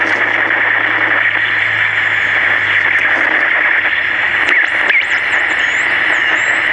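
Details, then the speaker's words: 1960s Major pocket AM transistor radio with tin transistors, before repair: constant hiss and crackle, no clear program, wavering high squeals; badly noisy distorted reception, owner suspects a bad AVC capacitor, unconfirmed. "thing's almost just kind of cool the way it is maybe just feed this into a PA system and just let it go this thing is just I don't think I've ever heard a radio perform like this"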